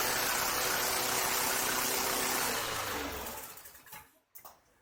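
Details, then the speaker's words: 2023 Craftsman M110 (11A-A2T2793) mower after seasonal maintenance, cold start after sitting about an hour. Small engine runs smooth and even with a steady buzzing drone, then winds down and stops: normal cold start and run. "Well, it's been about an hour. Let's try another cold start with it."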